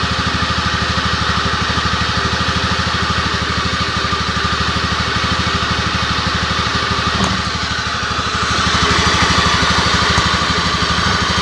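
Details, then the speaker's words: Honda Scoopy scooter that the owner says hums. The engine runs with a steady droning hum under the firing beat, louder than normal; the mechanic suspects a worn bearing (laher bandul), not yet confirmed by teardown. "Nah di sini yang punya mengeluhkan tentang suara motor ini yang dengung ya"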